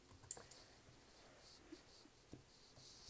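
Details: DIY observatory dome automation prototype (LesveDomeNet), relay stopping the dome within a 2-degree tolerance of the target: in a quiet room a few sharp dry clicks as the relay switches; normal relay operation.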